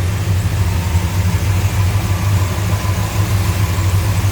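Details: 1969 Dodge Coronet R/T hardtop, numbers-matching original 440 V8, under 100 miles on engine and transmission, hood open: deep steady even idle burble, no ticks, knocks or miss; healthy idle.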